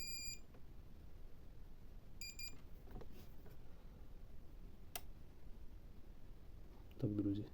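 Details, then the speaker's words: Powercom BM800 480W UPS, sold as non-working, plugged into a 220V outlet. Two short high-pitched beeps about two seconds apart as it switches on, showing that it works: UPS power-on beep. "Але він працює Ну я трошки здивований тому того що даний пристрій віддавався як неробочий"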